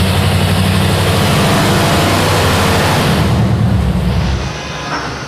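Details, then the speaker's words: Rear-engine mini truck V8 on a dyno under load: deep, even roar holding steady, then easing off smoothly with no miss or stumble; smooth curve now, 401 lb-ft and 250 hp at 3,500 rpm. "Well, it's smooth now. We have an actual curve to look at instead of the roller coaster we had before."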